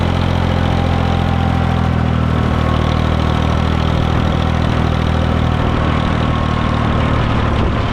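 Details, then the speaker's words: International 454 British diesel loader tractor driven in third gear, high range, after its missing was cured: steady, deep drone under load with no misses, stumbles or knocks. Normal running. "It's running pretty good though. I like it."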